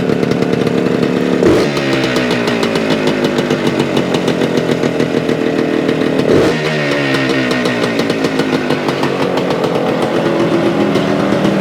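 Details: 1975 Suzuki TS-250 two-stroke, 6-volt system, after no-start repair: crisp, buzzy steady fast idle with a couple of blips, firing cleanly and evenly; runs after stator rewired, cap replaced, coil remounted on scraped frame.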